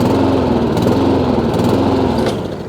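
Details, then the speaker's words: Honda IZY lawnmower after carburetor work for a fuel leak, now starting on choke: single-cylinder engine speed wavers up and down instead of holding steady; owner knows it's fuel, carburetor needs cleaning again. "it's making a very funny noise like this so a bit more carburetor work involved but I can do it at my leisure at least now the machine now does start um it doesn't run properly"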